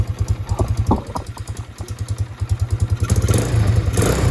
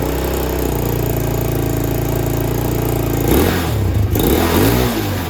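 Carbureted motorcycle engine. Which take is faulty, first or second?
first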